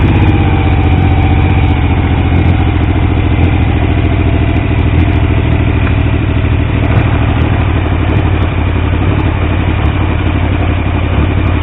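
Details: Triumph T150V triple after head and cylinder rebuild to cure oil leaks: deep steady idle with even beat and light valve clatter, no stumbling; oil pressure around 40 psi under 2000 rpm; normal idle, no leaks.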